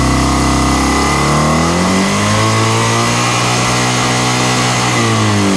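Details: Kawasaki ZX-6R: engine revs up then settles into an uneven, lumpy idle with irregular pops; owner suspects a vacuum leak.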